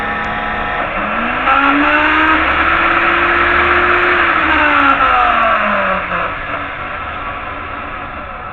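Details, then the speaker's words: Improvised electric pressure washer, trigger tied open and running on reduced voltage, washing a 1987 Crown Victoria engine: steady pump whir that sags and recovers, then eases when the water shuts off. Pump running normally. "And as you see, that's most of it all washed down. You hear the pump running in?"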